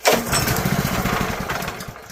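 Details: Honda GX160 junkyard engine: one pull gives a brief burst of firing chugs that fades out within two seconds. It won't keep running, starved of fuel, likely a carburetor problem.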